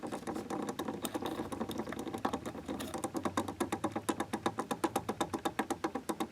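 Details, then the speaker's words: 1992 Bahama 52-inch hugger ceiling fan with bent blades: steady rhythmic clicking about four per second over a low running hum from badly worn bearings with lots of play; capacitor also suspected failing. "That is all bearing play. And I'm pretty sure the capacitor is going out."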